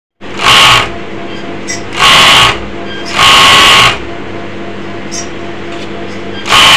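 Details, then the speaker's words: Overlock sewing machine running in short loud bursts, harsh high clattering whir over a steady motor hum, despite oil showing and circulating; excessive noise from a loose upper looper holder under the cover. "Overlock machine চালালে অতিরিক্ত শব্দ করে, কিভাবে সমাধান করবেন?"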